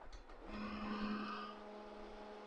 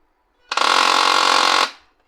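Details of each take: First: HP LaserJet M1005 MFP after repair of a loud humming noise at initialization, printing a test page: quiet even hum with a few steady tones and no rattle or buzzing, running normally. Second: HP LaserJet M1005 MFP on power-up initialization: loud steady hum with gritty buzz from the motor; a jammed rear lock was loading the motor, fixed by freeing the lock.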